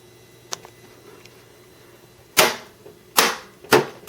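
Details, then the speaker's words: HP PC's NEC monitor dying during a Windows 98 build: sharp irregular crackling snaps, four loud bursts about a second apart over faint hum; owner attributes it to capacitors losing capacitance, likely failing soon. "Oh, it's losing capacitance. If you probably couldn't hear that on the video, but you couldn't hear the capacitors discharging after I turned it off."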